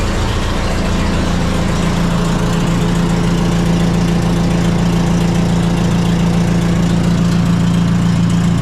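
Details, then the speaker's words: John Deere 70D (EX60-1) excavator with a Deere diesel, started after hydraulic hard lines were refitted; loud, raw, low diesel chug at steady idle with firing pulses barking straight out. No muffler fitted on the exhaust. "So, another annoying thing, well, a couple things. One is the lack of muffler."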